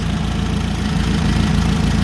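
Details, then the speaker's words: Nissan forklift K21 engine, single-cylinder misfire, likely cause of failed catalytic converter: lumpy idle losing a beat every few tenths of a second; amp-clamp test shows cylinder 1 coil primary shorted, drawing about 10 amps. "straight up line as an indicator of a shorted primary and if we measure how many amps this is drawing this is drawing over an amp"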